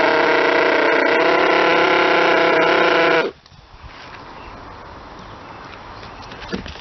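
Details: Model twin rotary engine, retested after fixing stator gear mesh noise, bad crank and housing, plates .005 mm out; smooth high buzz for about three seconds then cuts out; normal running.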